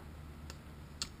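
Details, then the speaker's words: Bicycle pre-race check, Shimano Hollowtech II split crank arm pinch bolts tightened to 14 Nm: three sharp, crisp clicks about half a second apart in a quiet room; torque wrench clicking at set torque. "we go 14 Newton meters so you do both sides again just go till it clicks you're done"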